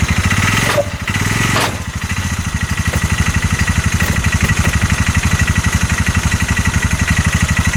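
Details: 2022 Massimo T-Boss 750 EFI UTV that a dealership gave up on: heavy rhythmic thumping about four per second once in gear, engine shaking and knocking under load; CV axles and U-joint checked tight, cause unknown.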